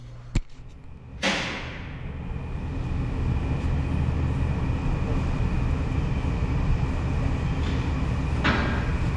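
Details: 2020 Mustang 5.0 V8, first start after installing Pypes long-tube headers: a sharp crank catch, then a deep, loud, steady rumble settling into an even idle, running cleanly.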